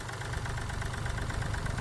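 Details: Mahindra Bolero Power Plus diesel with complaints of low pickup, body vibration and missing after engine work, idling after injector nozzle settings were raised two points; deep, smooth, even low chug, no sharp knocking: normal idle.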